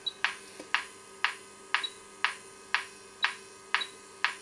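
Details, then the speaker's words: RadioMarelli RD272 WEST valve radio under repair, fed a 450 kHz intermediate-frequency test signal with 2 Hz AM modulation: steady low tone pulsing twice a second, each burst starting with a click, comes through cleanly; receiver works. "introduciamo la modulazione am Eccola sentite Questi sono i famosi due Hertz della mia modulante"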